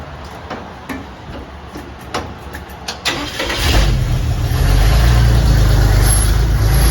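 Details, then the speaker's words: Cab-over Chevy van conversion V8 started on straight pipes with no mufflers fitted yet (previously open straight manifolds); cranks then catches into a loud, deep, open unmuffled rumble, not overly loud. "Let's see what it sounds like just through the straight pipes. Said I don't have mufflers on it yet, but it's got to sound better than what it did with the coming out straight manifolds."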